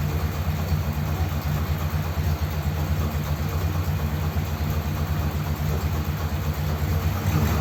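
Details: Ford Thunderbird started after sitting unused for ages, nothing done to car or battery, no choke: deep, lumpy idle with a slightly uneven beat around two a second; engine runs but idles a little rough.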